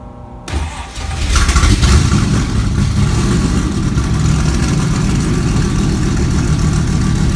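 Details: Kirkham Cobra KMP #174b cold start, fuel pump primed to about 5.5–6, out of gear: cranks and catches quickly, flares up, then settles into a strong, even burble with steady firing; a healthy cold start.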